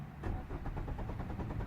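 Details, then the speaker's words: 2013 Kia Cerato YD 1.8 automatic, suspect relay swapped into another car: steady rapid starter churning with even compression pulses, never catches, same symptom as original car, confirming failed fuel pump relay causes crank no-start. "symptom cranking over not starting and that's just the in-car camera telling it it wants to start but unfortunately the car doesn't want to"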